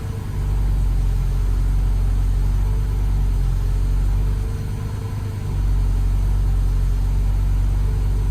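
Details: Car with a rewired aftermarket EFI, first start in months, tune not yet dialed in, new tune sent but failed CRC check and caused a stutter: low idle that sags and recovers unevenly; rough idle from untuned injection.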